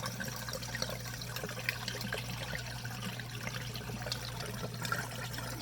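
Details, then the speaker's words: Dishwasher in drain cycle after clearing clog from drain pipe: steady low pump hum with water trickling and gurgling freely; normal draining, clog fixed. "I can see some water flowing there and I can hear it and frog is happy I think I fixed that a hundred percent"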